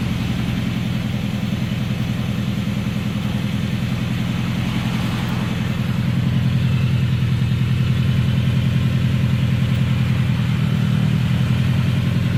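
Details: Subaru EJ20K engine with a deep, regular knock of about two and a half beats per second pounding through the low engine note; engine knock, cause undetermined.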